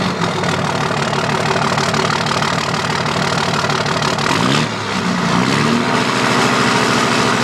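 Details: 2005 Dodge Cummins diesel at idle: uneven lumpy beat with a recurring stumble instead of a smooth clatter; one injector not firing, leaving a dead cylinder.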